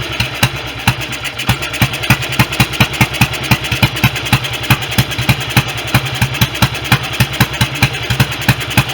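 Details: BSA B31 single on magneto ignition, being restored, no air filter fitted, running 30-grade oil: loud, uneven, hunting thumping at about 3.5 beats per second; rough idle, carburetion (jet too large) and ignition still unsorted.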